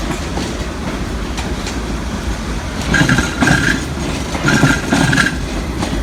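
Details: Train moving through a station: steady rail rumble and clatter broken by two short bursts of high squeal and thumping about 1.5 seconds apart; strange noise, cause unclear.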